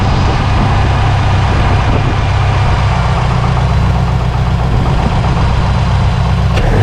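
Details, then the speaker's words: Series Grey Subaru STI with big turbo, start-up after the cracked header was fixed: deep, even idle with no exhaust leak left, turbo clearly audible, only a rattle heard underneath the car. "listen to the turbo now this thing sounds awesome [Music] oh she sounds so good"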